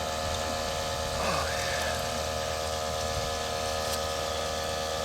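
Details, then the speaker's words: Electric fuel transfer pump on a truck emptying one tank into another: a steady electric hum and drone with liquid rushing through. The pump is running normally and moving fuel. "The old chooch fuel transfer. Empty one tank, fill another."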